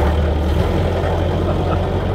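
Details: 1930 Ford Model A sedan four-cylinder, first run after sitting for an unknown time, driving along: steady low rumble with a loose, rattly beat; that clatter is normal for this old engine.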